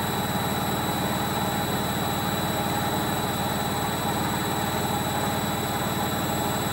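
Steady loud roar with a fast rumbling beat through the spin, no clean whir; sounds like worn drum bearings on spin.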